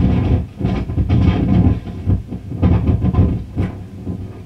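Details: Fender Pro Reverb amplifier (possibly reissue) with crackling, popping and spitting: irregular crackling bursts over steady low hum when the circuit board is lifted, an intermittent fault, likely a bad solder joint; HT caps also replaced.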